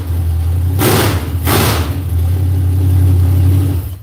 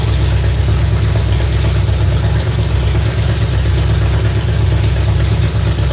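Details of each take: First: V8 after an adjustment: deep, even burble with two quick throttle blips that rev cleanly and drop back smoothly; sounds crisper and less bound up than before, closer to right; normal running. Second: Dirt-track car V8 run up after cranking for oil pressure: loud, deep idle with throttle blips that are heavy and slow to pick up, and fire seen from one side. The owner suspects the timing isn't right; the cause is unconfirmed.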